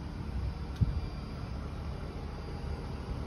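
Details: Newly installed air conditioner outdoor unit, switched from heating to cooling mode: steady low even hum with no rattles, knocks or cycling; running smoothly and quietly while cooling.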